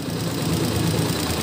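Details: Honda TMX 125 series 1 single-cylinder, about 7–8 years old, cam-area O-ring just replaced, kick-started cold: fast, sharp tappet ticking over the thump, loud even when cold; valve clearance to be checked.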